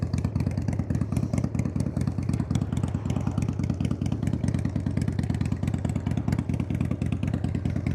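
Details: 1993 Harley-Davidson FXDWG Dyna Wide Glide Evo after carb cleaning, started for road test: strong even lumpy V-twin beat, steady firing, no misses or stumbles, pulling cleanly; sounds real good.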